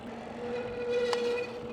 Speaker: is that me or you that noise come from did you hear it